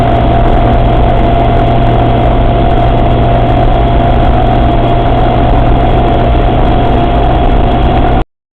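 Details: Suzuki Samurai running, deep engine rumble with a thin steady whine from the transfer case; cause unknown.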